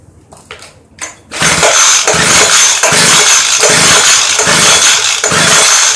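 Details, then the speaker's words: Craftsman Bushwacker 25cc hedge trimmer, model 358.795792, broken fuel pickup line: fires after pulls, buzzes in uneven bursts only on primed fuel, choke closed; fuel starvation. "so it does fire off I like to hear it run a little longer with the choke clothes nothing's going in it put a little fuel in there"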